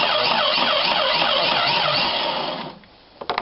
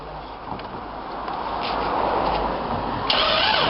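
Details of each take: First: 1995-96 Jeep Cherokee XJ 4.0 petrol (UK Limited), in park, starter solenoid terminal jumped directly to bypass the immobiliser: even, strong cranking at about three and a half beats a second; the engine turns over normally. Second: 1995-96 Jeep Cherokee XJ 4.0 petrol (UK Limited), cranking with ignition on during immobiliser bypass: even starter beat of about four turns a second, but the engine never fires. Owner suspects the fuel pump, which buzzed briefly then stopped.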